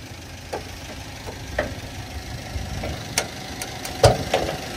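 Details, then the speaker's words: Toyota Avanza engine at quiet idle after rebuild for a camshaft problem, AC off, temperature normal: faint uneven light ticks, a few per second, mild pinging (ngelitik); otherwise fine, carbon clean planned. "Ini mesinnya Oke Enggak ada kendala Cuma agak ngelitik dikit nanti kita cararbon clean sama kita kasih pengaman sininya biar aman ya"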